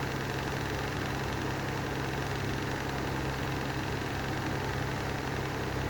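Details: Lanson style 3 exhaust fan running with a steady low drone and a rough, gritty vibration underneath from worn bearings that need replacing.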